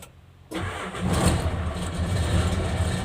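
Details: Hino Lohan truck diesel after fixing starter that only clicked: starter turns and engine catches straight away into a steady even low rumble; clean normal start.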